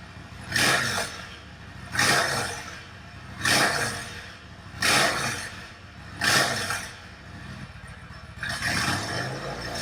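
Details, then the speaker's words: Yamaha XVS1100 V Star bobber project, pilot mixture screws opened about a turn and a half: sharp popping about every 1.5 s over a rough-running V-twin; rear cylinder still popping, and the owner suspects the mixture is the cause. "I noticed at this point then it was just the real cylinder that was popping still so see if we can just very tricky to get that still morning"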